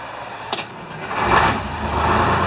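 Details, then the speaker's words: Detroit Diesel fire truck, started while diagnosing the charging system, batteries around 12 V and at least one charged: brief crank, less than a full revolution, then catches almost instantly into a steady, even idle; gauge then shows charging. "it cranks immediately don't even know if it only didn't even make a full revolution"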